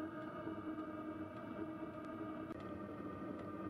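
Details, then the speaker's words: Webasto diesel heater in a JDM 4WD Isuzu Elf camper, heard inside the camper with the dosing pump by the side fender: light, sharp ticks roughly every half second over the steady hum of the heater fan. Normal fuel pump ticking. "Hear it ticking. It's really not too bad inside the camper."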